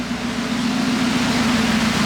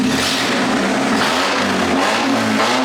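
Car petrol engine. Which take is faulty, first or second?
first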